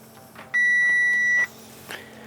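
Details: Crash-damaged Audi A4 S line with steering fault, before scan shows many module faults: one long steady high beep about a second in quiet cabin; dash warning chime, fault not identified.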